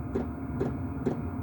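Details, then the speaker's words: Chinese diesel heater newly installed in a workshop, fan speed turned up: crisp, evenly spaced dosing pump ticks about twice a second over a soft fan hum, pump clicking faster at high output; normal operation. "if you want the speed the fan up you knock up the lock up the fan speed there and you'll hear the fan oh sorry the clicking of the pump go faster"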